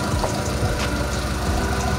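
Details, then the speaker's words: Mitsubishi Lancer "itlog", after repair of misfire, no power and reversed firing order: smooth steady idle with even low beat, no knock or miss; quiet and healthy. "Tahimik. Tahimik na yung makina."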